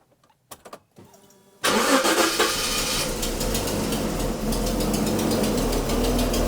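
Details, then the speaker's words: 1980s Jaguar original engine, last run before engine swap: cranks, starts, then idles lumpy and loping, misfiring; owner suspects an external head gasket leak on the side, not exhaust. "runs that is not happy I think we actually have part of the head gasket blowing out on the side I don't think that's an exhaust leag"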